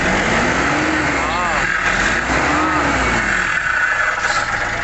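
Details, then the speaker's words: Nissan NV350 YD25 diesel, low power, no check engine light, revved: hollow sucking air whoosh over engine rising and falling with throttle; cause found to be turbo actuator malfunction. "So ngayon mga kalbularyo, kung naririnig nyo ay parang may humihigop na hangin."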